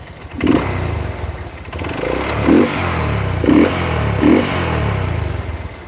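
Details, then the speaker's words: Yamaha Verza single-cylinder motorcycle at idle: loose metallic clatter in bursts over rough idle, quieter with the clutch lever held and louder when released; worn clutch housing, needing replacement. "Lha terus Perumahan kopling ini rumahan kopling ini kalau ditahan suara Mending kalau dilepas suara nambah"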